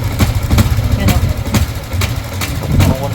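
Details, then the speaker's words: Yamaha Sniper 155R, 25,549 km, first start after rocker arm repair (broken VVA paddle), idling. Low steady idle with sharp tick about twice a second from the engine side; mechanic suspects the side/damper area, previously tampered with at a shop; source unconfirmed. "Meron pang konting maingay, damper, ano? Mapapansin nyo kasi ginalaw to sa kasa. Iba yung tunog ng gilid niya."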